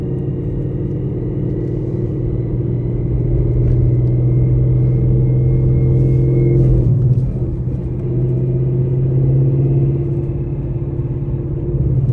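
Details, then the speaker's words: 800 whp Ford Mustang GT with a Calimer stage 3 straight-cut gear transmission, still a little cold, pulling away from first gear under load without hard throttle: a steady high whine over the engine rumble; normal straight-cut gear whine. "so you guys heard it you guys heard the gear one it sounds pretty sick and pretty sweet"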